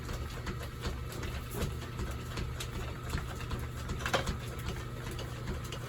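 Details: 1930s Excelsior 2A power hacksaw after restoration (repaired bull gear, auto-lift, vice), cutting half-inch square bar: steady low drone with light, even strokes, no clatter or slipping; normal cutting.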